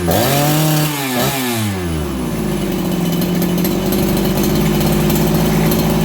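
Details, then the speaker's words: Farmertec 288XP kit chainsaw after an ignition repair (sheared timing key had let the flywheel spin), with the low jet richened slightly because it seemed lean: quick blip dropping straight back to a steady, even two-stroke burble. Crisp, stable normal idle. "It's crisper on the throttle and it settles down the idle faster."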